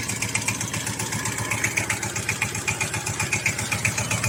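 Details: Sifang single-cylinder diesel power tiller, after adjustment to cure a noise: steady idle thumping evenly about four beats a second, no odd knocks or rattles; runs properly.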